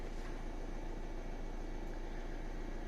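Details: 2014 Ford Transit Custom 2.2 diesel after replacing alternator regulator (no charging before): steady, even diesel idle clatter with no misses, knocks or whine; charging voltage now 14–15 V.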